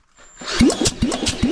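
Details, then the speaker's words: Yamaha XS650 after top-end reassembly (cylinders, pistons, head, camshaft, valve gap set), cranked with plugs out, thumb over spark plug hole: firm, even puffs about every 0.4 seconds; compression sounds promising, healthy on this cylinder. "yeah yeah that sounds promising I wonder what we're getting for compression"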